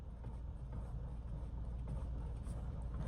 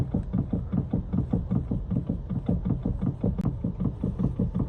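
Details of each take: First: BMW X3 after steering rack repair, engine running while the wheel is worked hard side to side: steady low rumble with no clunks or knocks; the rack that previously rattled and clunked on turns and bumps is now quiet. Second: BMW X3 steering rack: steady low knocking two to three times a second as the wheel is rocked left and right, also clatters over bumpy roads; play in the rack, repaired rather than replaced, silent afterwards.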